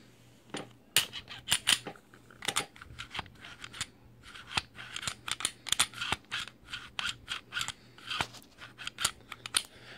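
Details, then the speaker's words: Glock 26 after Froglube treatment: crisp metal clicks and snaps as the slide is cycled, with no squeak between them. It now returns fully forward and feels smoother, where before it squeaked and wouldn't go fully forward. "don't hear the same squeak and it won't or I should say it will pull it all the way see that and it does feel a lot smoother"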